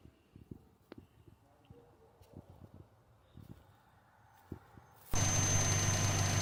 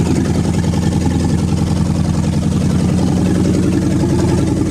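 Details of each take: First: you guys can hear that right the vacuum leak responsive when she's nice and warm isn't she Second: Engine revived after water delete, warm: steady, even low rumble at idle with no knocks or surging; owner notes a vacuum leak is audible.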